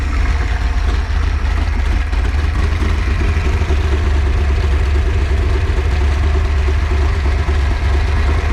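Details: Freshly built Ford 408 stroker small block Windsor, warm, on break-in oil with ZDDP and an electric water pump: deep, even V8 idle, smooth steady rumble, no knocks or misses; running properly.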